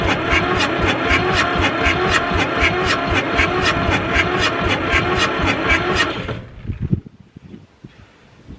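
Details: Fire-damaged Ford 4000 tractor, sat 20+ years, cranking after the injection pump was bled, tank raised for gravity feed, fuel on, throttle full: steady cranking about four turns a second for six seconds, never fires; no start, faulty injection pump, diesel leaking afterward.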